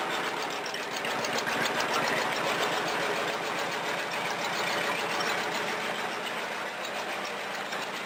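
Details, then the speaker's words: Home-built rat rod roadster, dead cold start after sitting several days, choke readjusted, a little gas given: catches and settles into a quick steady ticking idle around four beats a second with no misses; starts well since the cable was shortened. "on a dead cold start she's been sitting here for ever since the last time I missed was it was just several days ago"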